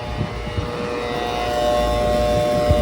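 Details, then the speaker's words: AC unit found down, cooling fails: constant electrical buzz with a steady tone over a low rumble and no fan whoosh; the condenser fan motor has failed, the unit is blowing cold air out and the compressors are not on. "Okay, bad motor is one. And it's blowing cold air out, so the compressors are not on."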